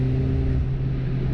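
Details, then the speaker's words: Ford Fiesta ST, while trying to log the car: above 4000 rpm the engine breaks into explosions and will not rev further, a deep drone that stumbles and roughens; misfire under acceleration. "Cada vez que el carro va a pasar más allá de las 4000, de una empiezan a hacerse esas explosiones en el motor y no me deja pasar más allá."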